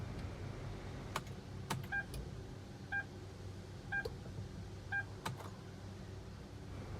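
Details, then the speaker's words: Hyundai Tucson push-start, in P with the brake pressed, immobilizer light on the dash, jump-start already failed: only chimes and a few clicks, no cranking. Starter motor silent, no crank. "เพื่อนๆสมาชิกจะเห็นได้ว่าจะไม่สามารถทำการสตาร์ทเครื่องยนต์ได้นะครับ"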